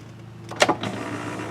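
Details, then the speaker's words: 1991 Pontiac Firebird Formula WS-6: brief clunk as the switch is pressed, then a steady low motor hum as the glass travels; power window works but slowly. "be a little slow but functional"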